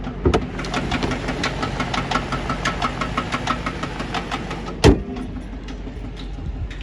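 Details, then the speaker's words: 2012 Chrysler 300C engine idling with cam failure: light, rapid regular tapping, about five or six a second, over a steady idle; top-end tick from cam and lifter failure, car still drivable. "You hear the tap. Still functional, still drive. It's just cam failure."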